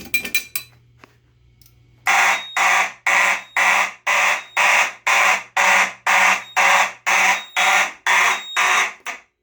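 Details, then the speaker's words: Mechanical horns on an EST/Edwards IO-64 panel sounding in march time, about two blasts a second. The tone is slightly raspy because the board rectifies AC from the transformer into unclean DC, which adds a weird modulation. "the board rectifies that into DC so it converts the AC to DC and the signal the DC signal is in clean so it kind of outputs some kind of weird modulation on DC that causes the horns to kind of sound a little raspber"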